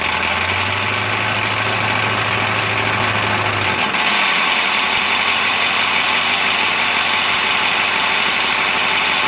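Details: 2000 7.3L diesel: uneven, lumpy idle clatter whose note shifts partway through without settling into a steady beat; rough idle under diagnosis.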